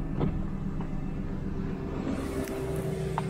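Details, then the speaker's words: 1992 Mercedes 600SEL V12 at idle after the exhaust repair, far quieter than the hideously loud exhaust before. Smooth, steady low rumble with no rasp or puffing. Exhaust seals are still missing, and the rear heater control valve is clicking. "nicer oh my God day and night if you remember before it was so loud it was hideous"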